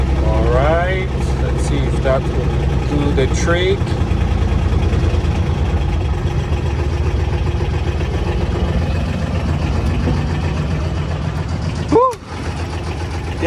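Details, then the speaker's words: Old worn Intimidator diesel UTV, cold, fitted with a bigger battery: a slow, steady starter churn at about three to four turns a second that cranks long without catching. Hard start; owner suspects the glow plugs aren't working. "so that's why i got the bigger battery always have to crank it for so long"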